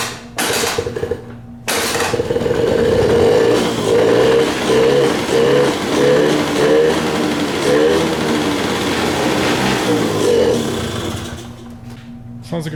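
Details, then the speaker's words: Honda Aero 50 scooter being revived; spark confirmed, starting fluid sprayed into the carburetor; small two-stroke fires and buzzes unevenly for several seconds, revs rising and falling, then dies; engine runs on starting fluid. "so i'm doing a spark check here it's got spark i'm just give it a shot of starting fluid in the car see what happens"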